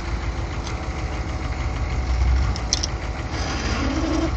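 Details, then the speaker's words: Manual car revved to about 1,500 rpm: low engine rumble with a deep groan underneath and a brief moaning tone; groaning from the transmission/throw-out bearing area, cause unknown. "now I have no idea what that noise is but it's really starting to piss me off it's not normal and I just know something's going to fail"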